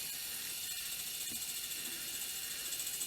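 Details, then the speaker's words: Sony EV-S700 Video8 deck from about 1988, first power-on after reassembly: faint whirring with an uneven ratcheting click about three per second over hiss. The mechanism moves but the tape never engages, it won't eject, and no deck functions work. "okay well that's that sounding very much like a deck that's at a time um or that's got lots of light that I would expect this to be moving"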